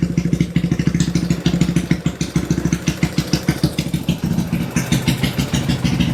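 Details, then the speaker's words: Kawasaki Binter Merzy carbureted single-cylinder after swapping to a pilot jet two sizes smaller: idle still slightly high, about three pops a second, but settles quickly to a steady even beat, unlike the slow drop before; exhaust smoke not too thick. "RPM-nya masih tinggi ya, tapi untuk mencapai titik ideal stabilnya itu dia tidak membutuhkan waktu yang lama seperti yang di awal tadi."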